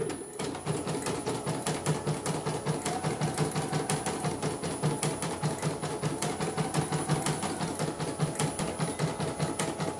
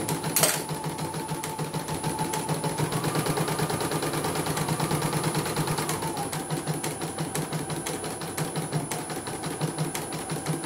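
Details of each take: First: CNY embroidery machine stitching with a rapid hard "krek krek" click on every cycle because a mechanism is set too close; moving it slightly further away stops the noise. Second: Embroidery machine after adjusting a setting that was too close: quick steady stitching rhythm, the earlier "krek krek" noise gone; normal running.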